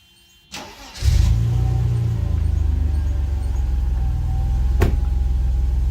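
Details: 1991 Mercedes 300E six-cylinder, about 139,000 miles, long-sat car after exhaust repair: brief crank, catches at once and settles into an even, steady low idle with no misses or knocks; normal start and idle.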